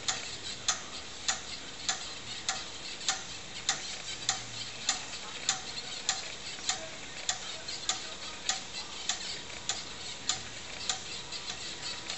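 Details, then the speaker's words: Tano Dragon 64 computer with TRS-80 CoCo disk controller running Dragon DOS, formatting a floppy with DSKINIT: steady, even, crisp ticks about 100 a minute over quiet background during the verify pass; drive stepping normally. "the command becomes disk in it there it goes now you can hear it ticking away there we'll get our little Apple screen so now starting to verify pass on the disk"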